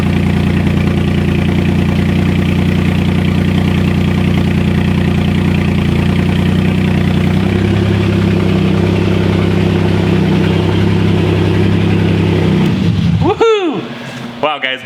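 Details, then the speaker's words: Wrecked Porsche Cayman after a replacement transmission, first start with the exhaust disconnected: deep, loud, raw idle with a steady low throb and no muffling; engine running. "great news I mean we it started it's running it sounds super loud which is what we want"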